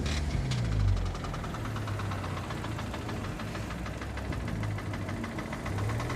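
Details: 2006 Audi A3 8P 2.0 TFSI, running: sharp metallic tapping about four per second from top left, with uneven running, power loss and an apparent cylinder 4 misfire code; owner fears lifters, chain tensioner or cam follower; dealer recommends coils and plugs.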